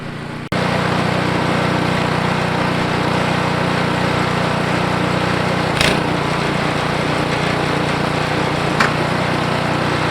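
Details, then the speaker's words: Ariens 28 Deluxe snow blower (921046), started after sitting two years: fires and settles straight into a steady, even fast-idle buzz with no stumbles while warming up; normal warm-up idle. "but all right i'm going to let that warm up for a little bit and then run through his face and go from"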